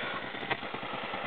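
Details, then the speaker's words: XCarLink adapter on a 2007 Mazda 6 stock stereo with an iPhone 3G via the iPod cord: steady thin rhythmic buzzing hiss that worsens when the screen is touched and changes when locked; silent through aux-in. "and when it's hooked up via the iPod cord, you get that noise. Touch the screen, it gets worse. Lock it, the noise changes."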